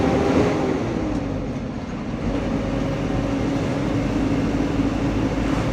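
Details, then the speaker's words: Mitsubishi Fuso Canter Euro 4 SHDX truck on a test drive after nearly 3 km: steady low diesel drone under road noise at cruising pace, no droning hum ("mbengung") and no power loss; running normally. "ini mobilnya sudah jalan kira-kira 3,6 ya hampir 3 km belum saya temui kendaraan ini bengur dan tenaganya hilang Masih normal ini teman-teman"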